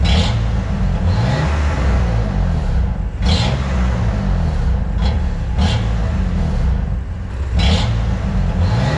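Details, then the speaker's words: BMW M2 Competition (F87) after a Nürburgring GP track day, where full acceleration brought a slight power loss and a noise: repeated revs with a sharp metallic chirp at each rise. An exhaust leak was first suspected but nothing was seen; cause unknown. "schwierig zu definieren das Geräusch das klingt auf jeden Fall ein bisschen metallisch aber ja ich kann es schwer zuordnen"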